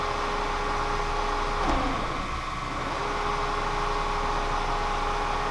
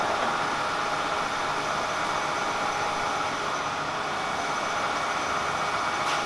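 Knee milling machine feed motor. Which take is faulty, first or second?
first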